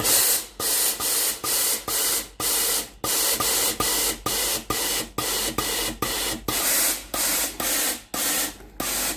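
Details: Tefal GV9820 steam iron after replacing the water solenoid valve, whose coil was broken (it clicked but gave no steam): steady rhythmic steam puffs, about two a second, each with a soft valve click, so steam delivery is normal.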